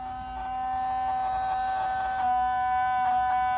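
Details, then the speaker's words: 1993 Mercedes 500E W124 with engine off and parking lights on: a steady high whirring buzz runs unchanged from the driver-side headlight area while the passenger side is quiet; some motor is staying powered, cause not yet investigated. "as you can hear something is on on this headlight"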